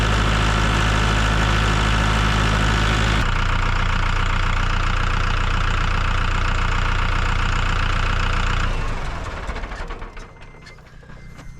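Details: Engine running after repair work, with the radiator cap re-tightened: deep, even idle with steady firing pulses and no knock, holding smooth before shut-off and wind-down; problem fixed.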